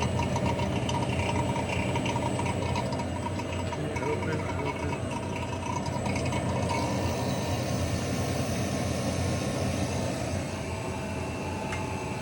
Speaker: Okay guys, that's the sound we want to hear. Our vacuum pump has done its job. We are in a good deep vacuum.